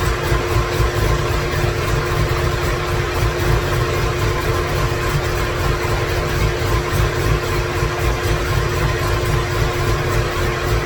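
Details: 2017 Corvette Z06 with Texas Speed 416ci stroker, Holley port injection, first fire-up with no tune, no coolant: lumpy uneven idle, heavy low pulse and wavering beat; rough idle from missing tune.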